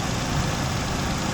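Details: 2001 Ford Ranger idling after being revived: steady, even low rumble with no knocks or misses; normal, healthy idle with good oil pressure and charging.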